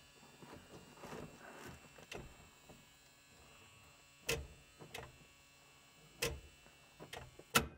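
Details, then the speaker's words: 1970s CommutaCar electric car, first drive attempt: faint thin motor hum with a few sharp clunks, never building to a strong pull, can't drive out of garage; badly underpowered, suspected contactor stages two and three not closing, unconfirmed. "so that was supposed to be a shot of me driving out of the garage but it doesn't have enough power to do it oh that's embarrassing"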